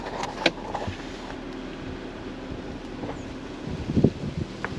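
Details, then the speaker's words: 2017 Audi Q7 with brakes notorious for squealing at low speed, especially cold. On a slow test drive after the squeal fix using a special socket and brake lubricant, it rolls to a stop with only road rumble and light thumps; the brakes stay quiet, with a single squeal heard at one point. "nothing seems to be pretty good so far so we may have this fixed would be really nice if it did"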